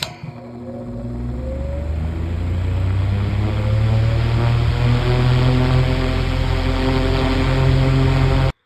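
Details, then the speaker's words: 9-inch Airtek high-velocity fan started from rest: motor hum and blade whir winding up steadily into smooth even high-speed drone; normal fan startup. "And of course, before I close out the video, I'll capture the startups. As soon as this thing stops coasting, we'll do that."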